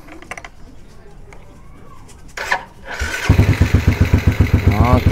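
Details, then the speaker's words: Yamaha Lagenda motorcycle, electric start after starter work: brief starter crank, then the single fires promptly and settles into a steady even putter of about four beats a second; healthy start. "mantap. Hanya guna jari hidupkan motor. Macam iklan Sempo geng, hanya guna jari. Jadi kita hidupkan je motor ni."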